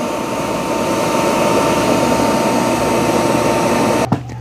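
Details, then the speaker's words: Roborock Qrevo MaxV dock emptying the robot's dust bin; loud steady rushing suction roar with fixed whine cutting off sharply at about four seconds; normal self-empty cycle. "Okay, that's the Roborock emptying its dust bin."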